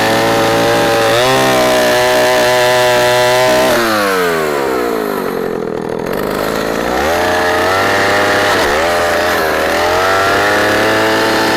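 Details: Old Husqvarna L65 chainsaw, 44 years old with points ignition, revived from retirement, cutting a large oak log: strong steady buzz drops in pitch as the chain bites, then climbs back cleanly. Lower rpm than current saws but good torque; healthy cutting under load.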